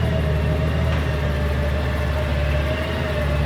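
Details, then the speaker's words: 2002 Honda GL1800 Goldwing ABS model, bought at insurance auction without a key: smooth, even flat-six idle with a steady low hum, no knocks or ticks; idles healthy like a typical Goldwing. "But as you notice, it's a typical Goldwing. Sounds like a Goldwing, runs like a Goldwing, lights everywhere."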